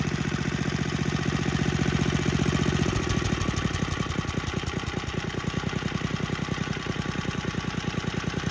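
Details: Tecumseh HSSK50 single-cylinder engine from a stripped Troy-Bilt snowblower, after replacing missing head bolts and the gasket to restore compression: a steady, even beat that settles slightly lower. It runs smooth and very well.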